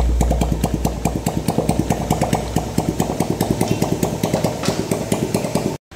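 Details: 2010 Yamaha Jupiter Z, rough engine noise worse at mid revs, checked with clutch removed: sharp regular ticking about eight per second over idle, steady with engine speed; a broken gear shaft end inside the engine.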